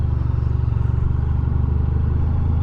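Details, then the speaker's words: 2020 Honda VFR1200X at walking pace on a gravel road: even, rapid engine pulses with no knocking or banging from the driveline; shaft drive no longer knocking as it previously did, sounds healthy. "I hope you can hear the shaft is not knocking and banging like previously it would have done not doing high speeds obviously we're just doing walking pace really"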